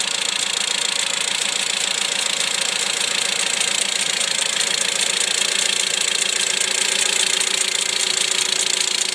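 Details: 2008 Mitsubishi Lancer, recorded at -5°C after extreme cold of -35°C: quick even ticking three to four per second over idle, passenger side, somewhat diesel-like; fine at 3°C, cause unknown.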